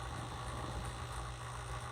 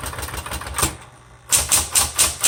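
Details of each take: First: 1960s Smith Corona Coronet Electric typewriter just after switch-on: low steady motor hum with a faint rattle; the side-mounted motor can hit its housing sides, fixed by pushing it out slightly. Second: 1960s Smith Corona Coronet electric typewriter, repainted, color selector on black: a steady low motor hum under crisp bursts of key strikes about two per second, carriage even; working properly, slightly noisy.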